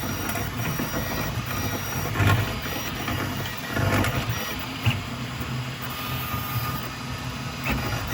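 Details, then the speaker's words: Snapmaker 3D printer printing masks. Stepper hum with irregular harsh grinding bursts as the nozzle drags over raised infill grid lines, then it prints normally again. Owner unsure whether the infill is the cause and worries about nozzle wear. "when it starts printing the grid, the infill, you can see like look at the see like raised up a little bit on there and it'll do like this grinding noise, but then it goes right back to printing normal."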